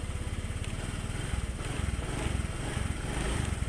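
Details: Honda Click scooter after recharging a flat battery (was down to 6 volts) and checking fuses: even single-cylinder putter, steady low pulses with no stumbles or dropouts; idles smoothly and healthy.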